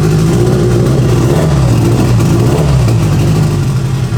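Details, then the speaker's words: Turbocharged Mazda Miata first start after straightening damaged crank timing markings: loud, raspy but steady idle through unfinished exhaust, idling on its own without stumbling; healthy idle. "That runs crazy. Sounds good nice. too."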